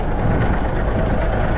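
Deep, even diesel idle with a steady low rumble and no miss or knock; this engine sounds healthy and settled.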